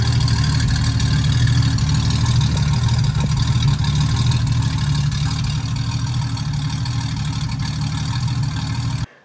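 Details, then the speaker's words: Ford 200 inline six with Holley Sniper 2300 2V EFI, new exhaust and relocated O2 sensor, at idle: a low, steady idle with a slightly uneven pulse of about three beats a second and no knocking; still a bit rough after the change. "didn't improve the idle quality at all i thought maybe moving the o2 would um it's still verbally a little bit but i think that's just kind of how it's always going to be"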